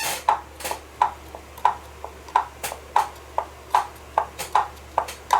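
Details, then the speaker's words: Brastemp/Consul washing machine agitation mechanism (transmission) on the bench, pulley rocked by hand. Crisp, evenly spaced clicks about two a second come from the pulley knocking. Finding: normal pulley play clicking. "esse barulho é normal tá esse barulho aqui é o barulho da polia batendo"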